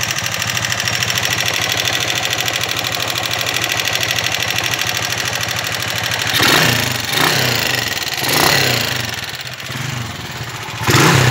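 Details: 1995 Honda TMX155 single-cylinder motorcycle, smoky and very noisy engine: fast, steady ticking over the idle that persists through throttle blips, valve train tapping from worn cam followers, lobes and valves.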